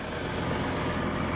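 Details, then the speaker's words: 2012 Ford F-150 EcoBoost FX4 4x4, 3.5 L twin turbo, about 160,000 miles, recovered after theft, at idle: smooth, even idle with a steady low hum and no knocks, ticks or misses; normal idle. "the steering wheel is straight that wheel looks straight to me Nick it purrs like a kitten"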